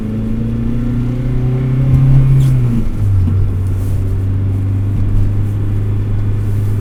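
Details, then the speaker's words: 2003 Acura RSX Type S with Energy Suspension bushings and aftermarket motor mount, at idle: deep steady drone with dull buzzy shake through the cabin; stiff bushings transmit engine vibration into the frame, trade-off for less engine movement under hard acceleration. "it has energy suspension bushings so the engine kind of vibrates throughout the entire frame that's why during idle the car starts to shake"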